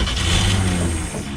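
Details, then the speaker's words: 1966 Grumman Ford box truck sitting 29 years, new ignition switch fitted, running only on gas poured into the carburetor: low uneven rumble catching briefly; the starter kicks back each time it fires. Points were cleaned earlier with no spark. "almost run but there's no gas in it that was just some gas i dumped in the carburetor and the uh the solder seems to be kicking back every time it fires so i don't know if it's going to start"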